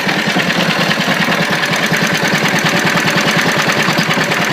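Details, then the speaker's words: Old 1.5 hp Wolseley WD engine warmed up: an even chuffing beat of about three per second, regular and clean with no misses or knocks. It runs well. "that thing runs pretty good though I'll tell you"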